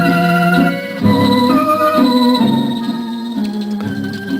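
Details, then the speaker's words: Zenith Cobramatic turntable being rebuilt: organ record plays steady when deck is held, but stutters with wavering pitch when the deck shakes; owner suspects mechanism knocked out of whack when a record fell, not cartridge; rubber wheels need rebuilding. "See, it's playing steady now, but if I let it vibrate, hear how it stutters?"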